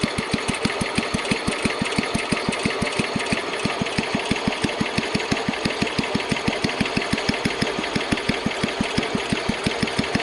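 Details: Kohler K141S single-cylinder engine after idle tuning, held at its lowest idle: slow, steady thumping firing pulses, fairly even, with no misses or knocks; a properly tuned low idle.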